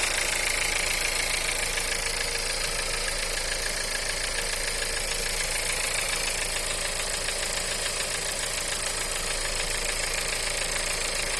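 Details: VW 1.4 TSI EA211 engine at cold idle: steady, even rapping of about three knocks a second over the engine hum; cold-start engine knock.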